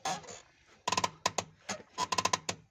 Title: How To Fix Clutch Noise When Releasing Pedal | Auto Mechanic | Urdu Hindi Tutorial